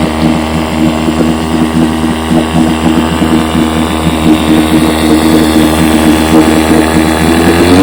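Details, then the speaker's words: 1958 Johnson 7.5 HP outboard, fully restored, barrel test run: even, crisp two-stroke buzz with steady firing and no misses, revs lifting slightly; idles down sweetly, purring like a kitten, runs clean and healthy. "man I'm telling you that thing Idol down just a sweet Pur like a kitten almost doesn't want to die when you power down to kill it"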